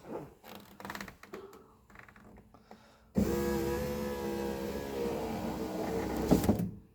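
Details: 1985 Mercedes-Benz 300TD wagon, power window after lubricating the door and window slider: motor hums at a steady, even pitch from start to stop with no catching or groaning; glass travels smoothly, normal operation.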